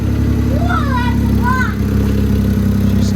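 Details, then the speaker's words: 2008 Smart ForTwo, first start with a new engine, smoking from corn burning off, cooling system still to bleed: steady, even low idle with a smooth beat and no knocks or misses; engine running healthy. "she sounds good too"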